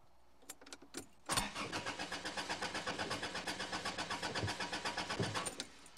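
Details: Car in a parking lot: the starter churns steadily at about four beats a second for roughly four seconds, but the engine never fires, so it cranks with no start.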